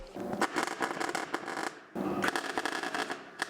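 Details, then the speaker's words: MIG welding plugs to fill holes in a shaved engine bay on a Mustang; harsh, uneven crackle and popping in two bursts instead of a smooth sizzle, heat set too high, caused blow-through; heat to be decreased. "I noticed the sound was a little bit weird when I did this one but I continued and look we had a nice blow through on there"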